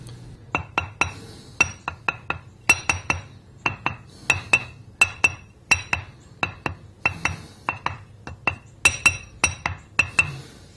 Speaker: notice how dead the sound is there's no ring to it no crack with a crack and here's the crack that's stopping those sound WS from radiating around the stone to produce the ring